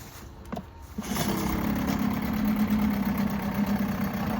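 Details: Likely 1980s Mercury 7.5 hp long-shaft two-stroke outboard, unrun 20–30 years, tested for cold start: catches within a second and settles into a steady buzzing idle, running healthy. Owner suspects some gumming from storage and plans an impeller.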